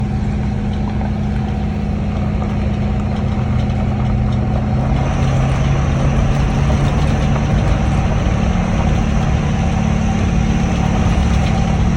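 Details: Ford 6.7L Powerstroke diesel truck idling with heavy low rumble and a faint thin high whistle; turbo failed, and the intercooler was found leaking coolant into the charge air.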